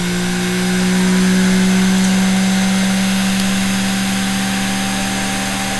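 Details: Vintage sewing machine series-wound (universal) motor after WD-40 lubrication: smooth, steady mid-pitched whine with faint brush fizz at even speed; healthy running motor.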